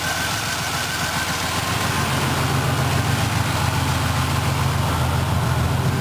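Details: 1985 Chevy Celebrity Eurosport, turbocharged first-generation fuel-injected 2.8 V6, on its first warmup. Loud, raspy idle with a chuffing, ragged low rumble and hiss on top. Broken exhaust leaking.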